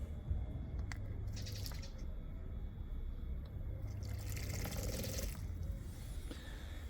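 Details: AEM water injection pump (water only, no methanol) for a roughly 400 hp Evo X, bench-tested via its test button before wiring; low steady pump hum with water hissing and splashing from the hose, priming and flowing normally, about 40°C ambient.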